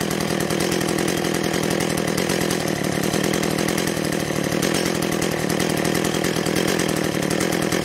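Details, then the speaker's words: Echo CS-400 two-stroke chainsaw with Zama carburetor, during tear-down and rebuild, idling cold after starting well; steady even crisp rapid firing with no misses, hunting or surging; normal healthy idle. "we'll let this idle for a little bit but uh we'll look at it together runs well though starts well good cold"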